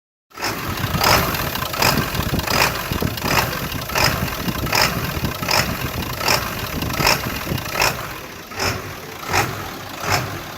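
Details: 2001 7.3 diesel pickup idling unevenly, a sharp rasping pulse breaking through about once a second; the truck also struggles to get past 1800 rpm. Rough idle, cause unknown.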